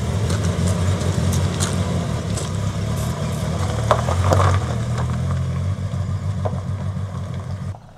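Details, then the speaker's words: Suzuki Grand Vitara part-exchange, started and left idling: lumpy uneven idle with a deep stumbling beat, trying to rev high; single-cylinder misfire not from a coil pack but from low compression. "so I'll leave it running so you can hear the comical misfire I think it's trying to rev quite high now to sort itself out but yeah sadly that's not just like a coil pack or anything like that it's something far more Sinister"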